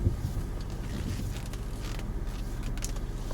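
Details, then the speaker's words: Peugeot 406 V6, first cold start of the morning after exhaust replacement; the old exhaust had failed years earlier and grown louder. Now a low, even, quiet rumble with no puffing or blowing, just some wind: normal cold start idle. "the exhaust replacement. So obviously it's quieter now."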